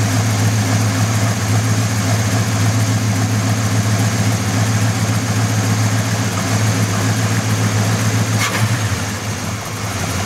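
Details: Buick 350 V8 at idle: deep steady drone with a faint, uneven knock beneath it; engine knock.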